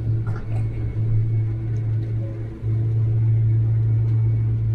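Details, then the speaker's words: Tractor driving on the road: deep steady drone that dips briefly then returns; owner assumes the noisy Trelleborg tyres cause the hum. "when you hear the tires they're quite noisy compared to these are trelly BS uh they're definitely noisy compared to the melin that's for sure I don't know I'm assuming it's the tires that's making the noise"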